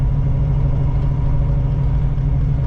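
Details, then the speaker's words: 1985 Oldsmobile Cutlass carbureted engine with a brand new carburetor, warming up while driving around the block: smooth, steady idle with no dips or stalling, water temperature under 100, transmission shifting normally. "Oh yes, I can hear the idle. It looks sound so good. So I'm on idle right now."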